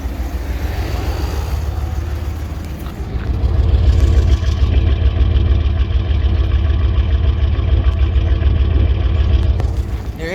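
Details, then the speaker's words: 2000 Dodge Ram Van 3500 after the rough idle was fixed by replacing the hidden 15A O2 sensor fuse: steady, even idle, no longer stalling with air conditioning on, a brief light rev settling back, slight exhaust leak; normal idle. "this fires up and idles now i can have the air conditioning on it doesn't kill the engine at all doesn't stall anymore completely fix that issue and now it's ready to work"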